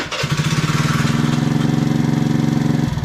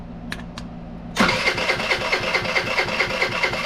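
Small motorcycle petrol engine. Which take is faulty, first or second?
second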